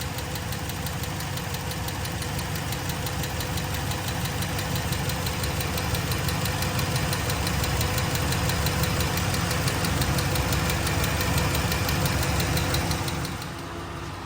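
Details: 2012 Dodge RAM 1500 V8 just after fuel injector replacement; steady idle with a light, regular tick about three per second from one side of the engine, present since day one; owner suspects an exhaust leak, unconfirmed.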